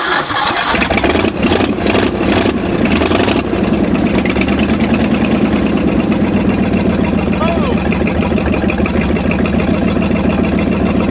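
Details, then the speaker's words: 1965 Ford F250 abandoned 26 years, after timing was advanced about 12 degrees and the points gap widened: several cranking bursts, then it catches and settles into a fairly even idle with a steady low rumble; running much better. "one of the two has made a major difference because watch this now it runs a lot better as it is if I pull the chill all the way"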